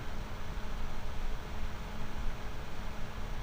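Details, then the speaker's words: GVM PR 150R RGB LED monolight, 12 V DC cooling fan, baseline with no resistor: constant loud rushing air and a faint steady hum, audible across a room. Loud cooling fan noise at full voltage. "Again, I wanted just to get a baseline again with no resistor, the straight fan noise at this mic level here."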